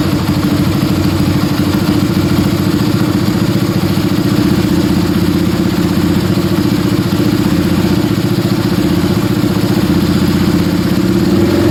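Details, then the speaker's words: Yamaha Scorpio single-cylinder after tune-up (valve adjustment, carburetor cleaning, new intake manifold, oil change): steady even idle with light regular valve tick, smoother after valve adjustment, air screw about 1.5 turns; normal idle. "Oke, setelah motor langsung nyala guys, setelah dibongkar tadi langsung menyala dan stasioner juga, settingan mudah. Bisa kita lihat di sini suara mesin lebih halus ya setelah kita setel klep tadi, dan juga untuk setelan anginnya kira-kira di 1,5 sama."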